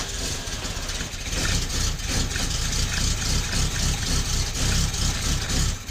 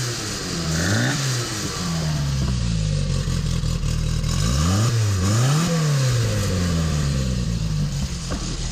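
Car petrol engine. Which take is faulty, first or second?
first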